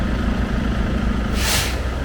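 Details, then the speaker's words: Truck idling, engine sounds fine: steady idle, then a sharp brief burst of hissing air as the unloader valve purges. It purges about every 1 minute 14 seconds because the air brake system is leaking, so the compressor cycles too often. "The air is leaking. Your air compressor is turning on regularly. It's just turned on. And in a minute here, the unloader valve is going to go, it's going to unload air."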